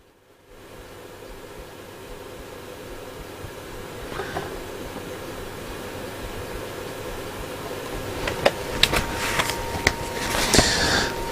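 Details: Hacker Hunter RP38A radio with AM and FM faults under repair: steady rising hiss with a few sharp crackles and no station coming through; IF seems to pass, fault suspected around the detector diode section (D3/IFT6), not confirmed.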